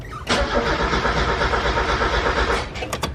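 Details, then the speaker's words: Old Miata that sat about six years, with a rusted-out area: the starter spins the engine evenly but it never catches, and no pump is heard priming; crank no-start, fuel pump suspected. "all right now we got to figure out it doesn't start I don't hear a fuel pump clicking on I do not hear a fuel pump at"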